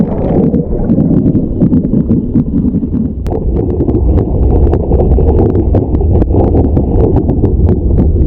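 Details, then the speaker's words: Newly installed Legend hot tub, a day old, jets on, camera underwater: deep rumble with constant sharp knocking and drumming from one non-adjustable footwell vent; cause unknown, installer to be contacted. "So there we are. That's the constantum drum drum drum drum no druming noise all the time when you're in the when you're in the tub and the jets are on."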